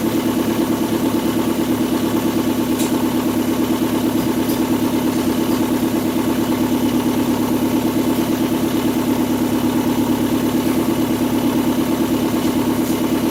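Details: 2002 Kia Sportage after valve cover gasket and spark plug change for a misfire, exhaust pipe not yet installed; steady idle with rapid even puffing and chuffing, loud and raw: multiple exhaust leaks.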